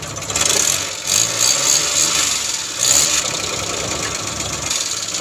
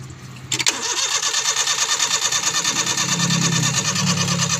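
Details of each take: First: Suzuki Scrum F6A 12V with hard-starting problem, after ignition switch replacement; starts with a quick crank, then steady, even idle with light mechanical chatter and no misses; normal idle. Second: Suzuki Scrum F6A 12 V with intermittent hard starting: steady fast cranking at about three beats per second that never fires. Fuel and timing were suspected, but a faulty ignition switch was found to be the cause.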